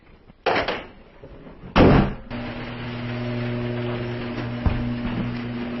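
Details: Isuzu Rodeo after repairing faulty wiring to the new fuel pump that caused a cranking no-start: brief crank, then catches cleanly and settles to a steady, even idle with no misses or knocks.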